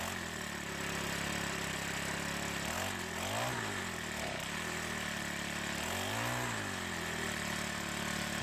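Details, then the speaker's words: Troy-Bilt 4-cycle edger with diaphragm carburetor that wouldn't start, run after priming gas into carb throat: small engine running steadily with a light buzzing drone and brief rev swells, firing evenly once fuel reaches it. "Now that it ran for a little bit and got gas going through the carburetor, let's try starting it one more time."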